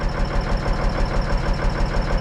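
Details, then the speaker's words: Diesel truck engine idling right after the overhead valves were set: a quick, regular tick over a low rumble, source unconfirmed; owner thinks it sounds pretty good and lets it warm up to check for fuel in the oil. "but but yeah you don't worry about the ticking sounds pretty good"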